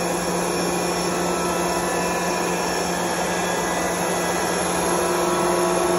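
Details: Curtis 25 hp 480 V electric air compressor, belt-driven Roots-style twin counter-rotating rotors, oil-cooled, started unloaded: steady even motor and rotor hum, constant pitch, no knocks or rattles; running normally.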